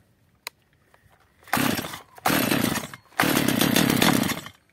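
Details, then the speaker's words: Stihl MS 230/250 chainsaw (model stated as both) that stalls and runs unstably. After the L screw was turned in half a turn, the saw flares in short sagging bursts and won't rev up or hold revs. "widzicie pilarka w ogóle nie chce wejść na obroty niech sobie utrzymać obrotów wcale"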